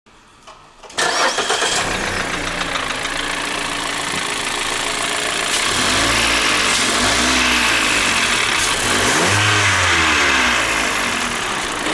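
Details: 2015 Mazda 6 SkyActiv, 85,000 km: engine fires and revs up and down with a hard metallic tapping that quickens with revs; connecting rod knock, fixed by replacing the connecting rods.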